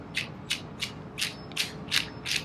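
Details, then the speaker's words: Traxxas TRX 3.3 nitro RC engine turned by hand: gritty, rasping clunking bursts about three times a second; the crankshaft has play, so the bearings are worn. "is bad also the shaft it moves if you take a look and moves so the bearings are definitely bad"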